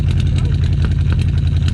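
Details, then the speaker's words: 1967/1968 Ford F100 pickup V8 idling after carburetor rebuild and newer breather; deep, steady burble through dual exhaust with two holes in the muffler, even pulses, no smoke; normal idle. "listen to that truck y'all look at that beauty she is idling two holes in the muffler"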